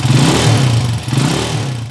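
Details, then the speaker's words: Honda TMX155 single-cylinder with points ignition, before repair, revved: fine, fast ticking over the engine from an uneven valve tip; the timing gear is fine, and the valve was replaced. "Kaninang may malagitik na pinong-pino. Okay? Parinig ko muna sa inyo yung andar kanina. 6 na buwan pala. Sige, rev natin. Walang pusa yung timing gear, no? Lagitik lang."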